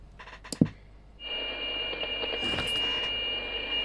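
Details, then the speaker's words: CB radio on 27.615, received through the external speaker, after the faulty components were removed and bypassed to repair a break in the signal path: after a click, a steady clean hiss-tone with no dropouts. Intermittent receive fixed; reception normal. "with no more we have no more intermittent uh connection"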